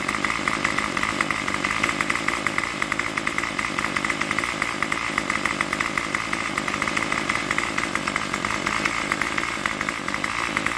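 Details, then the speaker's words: Craftsman Weedwacker gas trimmer model 316.791191, MTD 27cc two-stroke shortblock, Zama C1U-P27 carburetor, after rebuild: steady high buzzing idle with fast, even firing and no surging or dropouts, tach reading jumping around 2700 rpm; started and runs without choke; normal idle. "the porter it jumps around from around like let's say a quarter all that 2700 rpm I'll put I'm getting in that range here"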